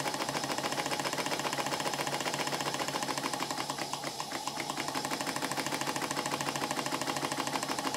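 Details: Model steam engine on bench, second steam test after steam chest modifications: rapid, uneven rattling exhaust beat like a machine gun, steady at bench speed, much better than before but still rough.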